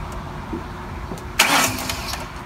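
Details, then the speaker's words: 2008 Ford Mustang V6 after new tensioner pulley and serpentine belt: cranked first to let the belt seat in its grooves, steady starter cranking then a sharp catch and smooth start with no belt squeal or chirp; normal cranking. "see how it's just cranking and moving around"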